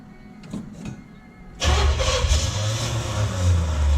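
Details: Junkyard Oldsmobile 350 V8, sat for years, on an engine stand for a 1969 Cutlass: after handling noise the starter churns with a low rhythmic groan but it never fires. Cranks, no start; cause unconfirmed.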